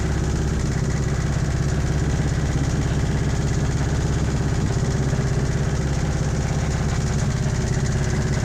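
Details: 1986 Toyota MR2 AW11 engine from a salvage-yard parts car, idling after the last vacuum leak was fixed; steady idle carrying a regular clatter about three beats a second over a low drone. Owner says it sounds like rod knock, not confirmed.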